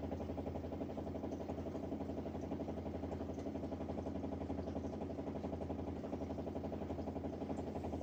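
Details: LG dishwasher running with a steady, pulsing motor drone that throbs about twice a second; abnormal running noise.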